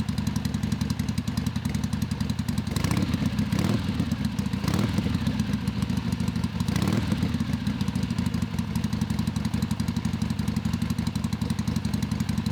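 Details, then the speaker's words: Father's 1970 Harley-Davidson Sportster XLCH, air-cooled V-twin, started after sitting a while, fresh 20W50 oil added: loping potato-potato beat at steady low revs, deep and unchanging; normal lumpy idle. "Now I grew up being told that that was the best sound in the world, basically. The best sound an engine can make."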